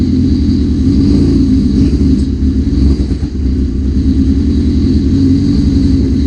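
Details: 1981 Suzuki GS650GL four-cylinder, first start after rebuild with new battery, plugs, oil, filter and pod filters, fuel petcock on primary, on choke: steady low burble, even without misses or stumbles; runs as it should, though a small carb fuel leak is suspected.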